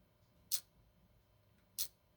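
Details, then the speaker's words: Ford EEC IV distributor rotor button, shaken by hand: two short, sharp, high-pitched rattles from something loose inside; a rotor should not rattle unless there is a loose internal connection. "it shouldn't make that noise unless there's a loose connection."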